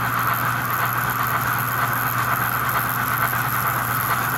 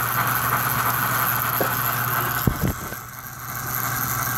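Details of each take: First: 65-year-old American Flyer toy train locomotive on a new low-speed controller with a reed switch for 4 chuffs per revolution, synchronized smoke and a sound board: fast, even chuffing with a steady beat over the motor hum, no stumbles; normal cadence. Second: 65-year-old American Flyer toy train locomotive with a new controller and synchronized chuff: a steady electric buzz over the motor whirr with brief squeaks; unclear whether from a cam or the idler.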